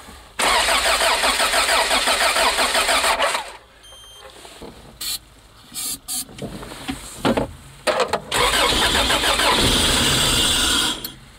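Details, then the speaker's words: 1986 Toyota van, sat for five years: engine catches and runs briefly on starting fluid, then dies and cranks in short bursts; fuel pump heard running but injectors lost prime; fuel filter to be checked. "Okay, it runs with starting fluid. I got a funky camera angle here. Okay, so it's running with starting fluid, but it's not cranking up, so I'm going to check the fuel filter and see what we got there."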